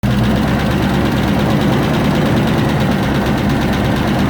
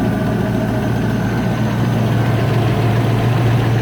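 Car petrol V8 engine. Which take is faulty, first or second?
first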